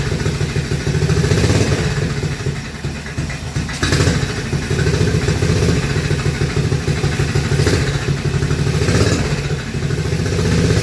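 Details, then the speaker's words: Frankenstein's Panther project motorcycle, carburetor on choke, newly fitted custom mufflers, running in an enclosed garage: deep even exhaust thump held steady, muffled but not choked; engine running cleanly. "Jeez, that sounds pretty darn good. And we're in in an enclosed building as well."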